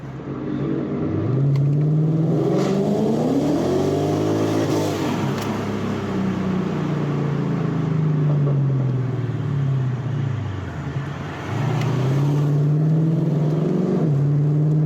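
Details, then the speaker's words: Infiniti Q45 V8 driven after fixing an intermittent ignition timing issue, with downshift and repeated throttle pulls: throaty mid-range exhaust rising cleanly and settling back, no stumble or breakup; healthy acceleration. "Way more like throaty in the mid-range. And just torque on demand. No breakup at all."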